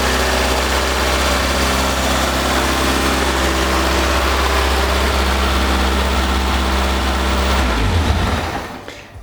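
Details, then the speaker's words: Toyota AE86, first run after sitting, temporary fuel supply from a jug: steady idle with a faint buzzy metallic rattle underneath until shutdown; owner suspects a vibrating exhaust heat shield, source unconfirmed. Exhaust rattle. "it sounds like a exhaust heat shield is sort of vibrating over here it's I don't know one of the down there sort of vibrating"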